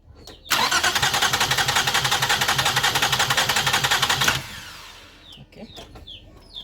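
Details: 2005 Toyota Highlander parked for a month, rat droppings in engine bay, no codes: starter cranks steadily about four seconds but engine never fires; suspected fuel delivery problem, injector power and pulse being checked; crank no start.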